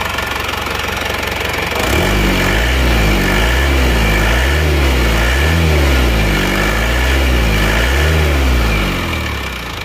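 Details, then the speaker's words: Isuzu Panther diesel, rebuilt after a broken crankshaft, cold, with injection timing fully retarded: a steady, slightly lumpy idle at about 230 beats a minute, no sharp knock and normal exhaust smoke; a fairly smooth diesel idle. "Kalau asap knalpot ini normal ya, tidak keluar asap yang banyak, asapnya normal ini."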